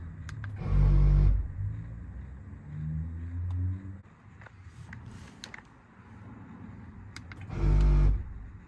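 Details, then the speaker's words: 1998 Toyota 4Runner air locker compressor, key on, during diff work: two short motor whirs about a second each then quiet; compressor holds air without repeated cycling, which is normal. "Truth turned the compressor on compressor holds air cycled it to the air Locker um it did not cycle through the pump a bunch of times which is what we're looking for"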